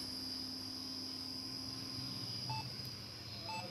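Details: Lenovo ThinkCentre M6072 (Q35, Core 2 Duo) desktop at power-on: two short, clear mid-pitched beeps a second apart over steady fan hiss as the fan speeds up, with no display.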